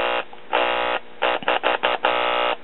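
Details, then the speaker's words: 1940s Decca DP16 78 RPM record player, single 70L7 tube amp with no preamp, after replacing defective capacitors, resistors and power cord; volume up, clip lead on audio input. Strong buzzy hum comes through in clean bursts, so the amp passes signal normally. "as you can hear we're passing a signal and a pretty stout signal to be a little one tube"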